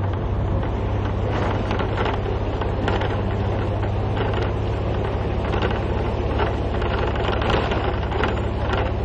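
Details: AMTS city bus on broken Ahmedabad roads: constant deep drive rumble broken by irregular loose clatters and knocks as it crashes over potholes; bodywork rattling, cause not confirmed.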